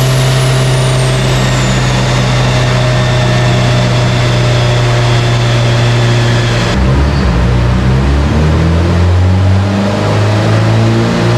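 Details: Subaru Forester STI with stock longblock, Precision 6870 rotated turbo and new coil packs, warm dyno pull: hard pull stumbles and breaks up near the top, misfiring under load while AFR goes lean.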